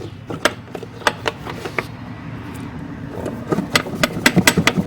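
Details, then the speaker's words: Fiat Palio front suspension worked by hand: loose, irregular clunks and rattles in bursts as a worn, oil-leaking shock lets the strut move freely with its bump stop broken, knocking up top; fix is replacing the shock and bump stops. "e aí aquela peça fica fica livre aqui né E fica batendo lá em cima"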